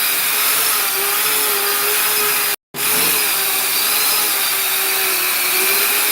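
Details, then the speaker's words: Custom 3D-printed 70mm EDF quadcopter, brand-new motors: loud hissy steady whine with wavering pitch; left rear ducted-fan motor sounds rough, possibly 4S motor mix-up, later debris found inside the motor. "These motors are brand new. I think one of them bad. Unless Unless he got 4S on accident. I don't know. I told him which one to order. It might just be that. It sounds like it's that left rear motor."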